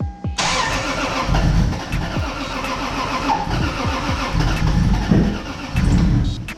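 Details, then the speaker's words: Toyota Supra MK4 700HP build, ProEFI standalone ECU, first start attempts: starter cranks at steady beat but engine never catches; no fuel pressure while cranking, base ignition timing also suspected. "huh we're not getting fuel pressure while we're cranking it um yeah i gotta figure that out"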